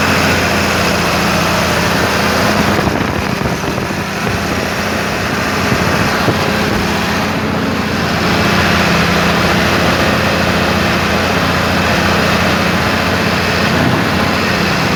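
A diesel engine idles steadily with a rough, uneven knock running through its clatter. Cause suspected, not confirmed.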